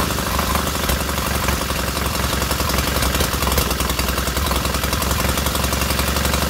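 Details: Freshly rebuilt K750 boxer twin on first start-up, after a minor ignition fault stopped an earlier attempt: even, lumpy twin beat at idle with no missing or knocking, both cylinders firing steadily and heating equally; normal healthy idle.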